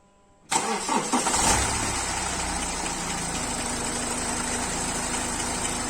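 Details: BMW 3 Series cold start after sitting unused a long time during lockdown: engine catches and settles to a fast, rough idle with an uneven light tapping underneath, an unexpected knock right after the cold start.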